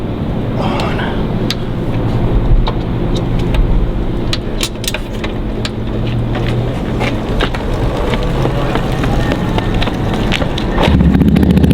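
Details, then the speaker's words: Honda Monkey single idling with a steady, deep, even burble after fitting a polished stainless Kruesi stealth head pipe and muffler, some handling clicks over it; runs clean. "This thing sounds good. Clean. I thought it was tackling for sure. I'm real satisfied."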